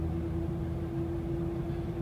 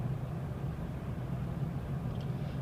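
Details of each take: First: 2006 Dodge Dakota quad cab 4x4, 4.7 L V8, automatic, new rebuilt front differential, tensioner, power steering pump and rack: steady howl under light acceleration around 40 mph, gone when coasting, seemingly from the front; cause unknown. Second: 2006 Dakota 4x4 Quad Cab 4.7L V8 automatic, coasting off throttle; only steady low road rumble, no whine, clunk or grind, unlike the noise under light acceleration near 40 mph: normal coasting.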